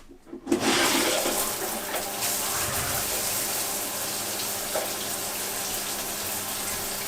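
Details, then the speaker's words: Mira Go electric shower, about 5 years old, after replacing the failed solenoid coil, started on low to purge air, then heat added: steady, even rush of water with no sputtering or air spitting; flowing normally. "You can hear there's no air in that anymore. Okay, it's working. It's working great."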